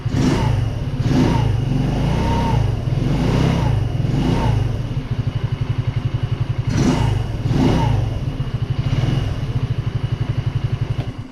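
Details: Baotian 125 scooter with a newly fitted Chinese carburetor, warm after three laps, nearly 9000 km, fuel low. Engine blips up and settles back to a steady idle, revs rising cleanly each time: normal revving.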